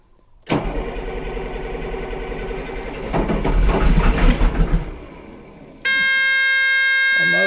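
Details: 2000 Cat 563D ex-USMC vibratory roller, Cat 3116 diesel, 25 original hours, cold start (engine described as cold natured): short crank catches quickly, rough rumble settling into steady idle; normal cold start.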